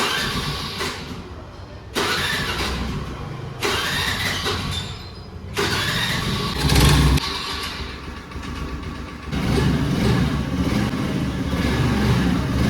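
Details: Honda Aviator scooter with piston seized from lack of engine oil, cause of oil loss unknown; repeated start attempts in bursts of rough cranking and firing that die away, then a ragged run.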